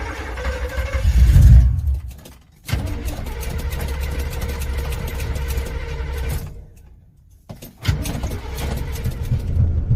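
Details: Chevrolet Z28 starter churns in steady bursts of about three or four turns a second but the engine never catches; crank, no start.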